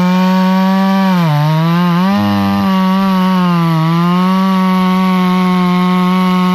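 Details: Hyundai 650 two-stroke chainsaw after fixing its stalling from fuel starvation, test-cutting a tree: strong steady howl dips and recovers as the chain bites wood, pulling cleanly without bogging — normal running under load.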